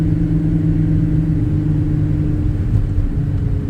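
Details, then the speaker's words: Nissan 350Z short shifter assembly after regreasing and tightening bolts, driving: steady low engine and road drone from cabin, no shifter rattle. "That would have been fun, but no rattles whatsoever. That's beautiful. I love it."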